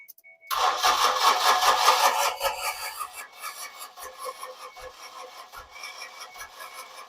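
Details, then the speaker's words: 2006 Ford Escape that sat locked up for over two years, engine freed and spark plugs refitted: the starter cranks evenly for several seconds without catching. The fuel pump can't be heard, pointing to no fuel delivery. "now let me get let me go back here and listen for the fuel pump [Music] ready yeah go ahead I don't know that I hear the fuel pump"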